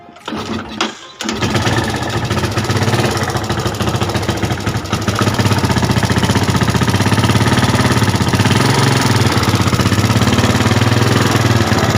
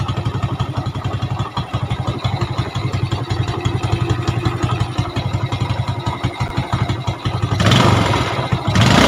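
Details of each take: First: Yamaha Jupiter Z motorcycle starting and idling with a fast, light ticking knock over rough beat; engine also leaks/wet with oil and fouls spark plugs quickly. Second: Yamaha Jupiter Z (robot) after repair with valve seals replaced, oil leaking at the cylinder head fixed, previously fouling spark plugs: single idles steadily with clean throttle blips; clutch still slightly rough as it wasn't opened.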